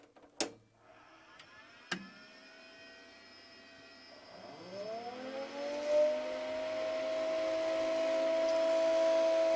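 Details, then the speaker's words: Telemecanique Altivar 58 10 kW motor drive on 3-phase 400 V AC supply: a couple of relay clicks, then the internal heatsink-tunnel fan spins up to a smooth, steady whirr with no rubbing or rattle; fan runs normally. "okay so it seems like it actually have an internal fan down in the heatsink somewhere that could actually be yeah it does actually have a fan built inside the whole tunnel here for the heatsink"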